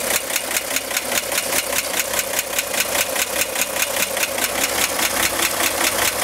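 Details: 1965 Corvair air-cooled six at idle: sharp, steady ticking, several per second, started 2-3 weeks ago and getting louder; seems to come from top of engine near fan; tightening fan belt reduced it only slightly; cause unconfirmed.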